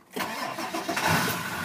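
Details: 2000 Ford 7.3L Power Stroke diesel, batteries good, hard to start on the first start after sitting a day or two, key cycled after glow plugs: short labored crank, then it catches and settles into idle; the cause proved to be a failing starter, and a new one fixed it.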